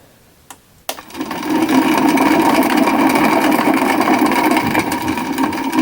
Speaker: i think that um with all the lubrication that i've tried to put in it's still not enough and it rattles a bit more